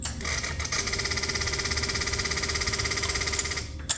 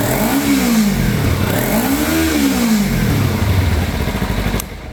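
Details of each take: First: Kawasaki Ninja 300 (2013 to possibly 2017) at key-on, engine off: fast electric buzz and rapid ticking from the throttle bodies, as the attached actuator no longer works properly, leaving no power above roughly 5,000–6,000 rpm. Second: Kawasaki Ninja 300 (2013 to possibly 2017) after throttle body replacement, which previously wouldn't pass 3,000–4,000 rpm and ran sluggish: strong, clean revs rising and falling smoothly without stumbling; full power restored.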